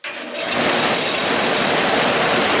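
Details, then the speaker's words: Scrapyard 42-inch belt-driven fan, motor remounted and belt refitted (belt very tight): runs up to a fast whoosh with a gritty rumble underneath; motor bearings sound rough and unhappy but it functions. "I actually got nearly as fast as I thought it would be bearings are exactly happy in that motor but it's functioning"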